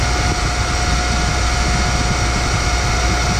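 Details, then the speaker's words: Boyar Schultz Challenger surface grinder with its motor reinstalled: a loud, steady roar with a constant tone riding on top. The motor itself sounds good, but spindle noise persists and the spindle bearings are suspected. "No here goes motor sounds good spindle bearings got happy unhappy Louis bro you noticed"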